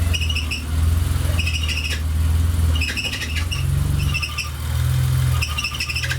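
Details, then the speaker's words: BMW M30B35 engine idling: high chirpy squeals in bursts from the loose power steering pump belt, worse in wet weather and at full steering lock; tensioner bracket teeth worn so belt cannot be tightened. "сырую погоду да и просто в крайних положениях начинает сильно свистеть ремень насоса гура"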